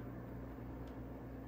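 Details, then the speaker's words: Old Canadian Pacific F7/F9 model locomotive on DC at half power: low steady electrical buzz, no running note; motor powered but stalled, freed by turning flywheel by hand. "nothing happening yet we're at half power come on we can hear it buzzing looks like we're going to have to do a bit of work in"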